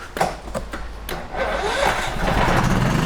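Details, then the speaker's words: Firman 3200W WH03242 inverter generator at 640 hours, after clearing a heavily clogged spark arrestor/muffler that caused rough running, hissing and no output: quick crank into a steady, even run with no stumble; power output restored. "Woo. Okay, so she sounds normal now."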